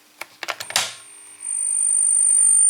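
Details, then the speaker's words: Model train locomotive on the EMS control system: clicks, then a piercing, steady high squeal that grows louder. The hum is heard even before the motor runs, from the EMS motor drive; a filter in the locomotive is considered. "Ich schalte das mal an und man hört dieses Brummen. Und bevor der Motor hier läuft, man hört das. Weil das kann ja schon nerven."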